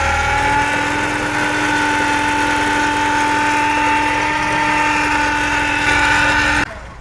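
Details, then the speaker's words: Ford with engine idling: steady humming whine from the power steering pump, present for six months; pump to be removed and repaired. "车辆打着火的时候，发动机传来嗡嗡嗡的异响"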